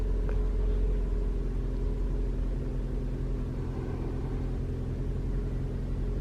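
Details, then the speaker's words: 2021 Toyota RAV4 Prime SE in hybrid mode at 57°F, climate set to auto with the AC off: the engine starts immediately, and a low rumble settles into an even idle with no heat pump drone; a normal engine start. "We'll turn the AC off. See, immediately you hear the engine turn on."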